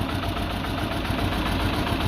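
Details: Peugeot 206 1.6 16V (TU5JP4) shaking abnormally: loud uneven lumpy idle, misfiring. Cause unknown pending diagnostic scan.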